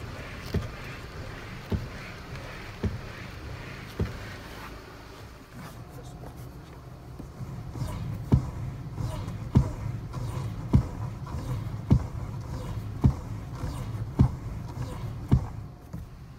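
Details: Lancia Musa steering: sharp knocks about once a second, felt up through the steering wheel, as the wheel is turned back and forth, from a dry steering column universal joint needing grease; joint bolts loosened with a 12 mm socket.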